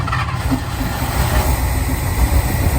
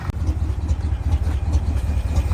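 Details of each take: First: International Harvester Loadstar crew cab V8, first start after 30 years parked: low, slightly uneven, wavering rumble at idle with some blow-by; not shaking badly, seemingly firing on all cylinders. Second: International Loadstar crew cab V8, parked 30 years, first start on choke with slight blow-by: deep, lumpy idle with a slightly uneven beat but no misses or heavy shake; all cylinders seem to be firing.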